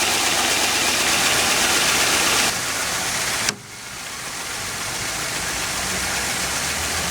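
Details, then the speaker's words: 2001 Jaguar X-Type 2.5 V6 manual petrol idling after water pump replacement and coolant refill: smooth idle under a steady hiss, advance dropped off, previous ticking gone. "So the advance has dropped off again. I can't hear the ticking noise. Good news."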